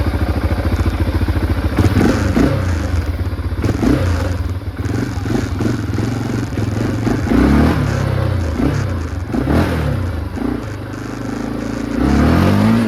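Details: 2005 Can-Am DS650 big-bore quad, bought cheap and revived, riding: strong single-cylinder thump rising and falling cleanly with throttle, no misses or knocks; it runs well, though less powerful than expected with its restricted muffler; normal running.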